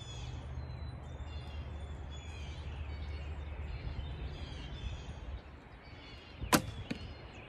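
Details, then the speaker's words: Hoyt Satori / Carbon Z ILF bow shot outdoors after a noise and loose-parts check and adjustment, with wind and car noise around. One short soft release thump, then the arrow strikes, with no string slap or rattle. Quiet enough for hunting. "okay i think it's fairly quiet good enough for hunting once"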